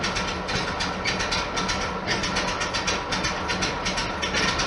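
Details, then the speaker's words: 1973 VW Super Beetle air-cooled engine at cold-start idle in neutral, no throttle, after spring maintenance with new plugs one heat range hotter gapped at .040 in and throttle linkage balancing; steady even idle with soft chatter, no misses, normal. "Alright, I'm in neutral. And it's chugging, so I got the wires plugged up right. So I'm not putting my foot on the gas or anything. It's just a cold start."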